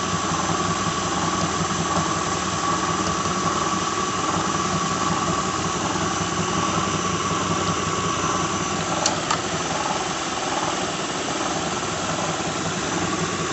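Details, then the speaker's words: 2006 Lincoln Town Car just started, cold: faint whir with light irregular rattle, about one knock a second, from the engine front; owner diagnoses a bad harmonic balancer after replacing plugs, coils, pulleys, alternator, belt and cam sensor without change. "You can hear it now as I just started it, but it is a harmonic balancer. I'll start doing it after it warms up a little bit. You can hear it rattling right now. There, you have a bad harmonic balancer."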